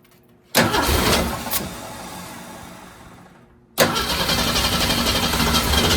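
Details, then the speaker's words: Ford Torino 250 inline-six after Carter RBS one-barrel carburetor rebuild: starter cranks in quick, even churn, stops, cranks again, never catches; no-start, owner believes it's flooded. "I may have it flooded now going to start yeah she's flooded"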